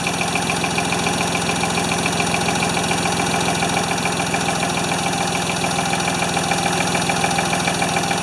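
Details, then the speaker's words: Ford 2600 tractor after starting, smoking, plug wires popping off: uneven lumpy idle around 200 pulses a minute with a slight stumble; fuel delivery problem, not feeding enough fuel. "definitely have fuel delivery issues it's just not it's not feeding enough fuel"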